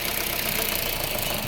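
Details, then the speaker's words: Engine at idle with a fast, steady metallic rattle up top from a slack timing chain slapping its guides; mechanics plan to tension the chain to fix it. "Timing chain की आवाज़ है।"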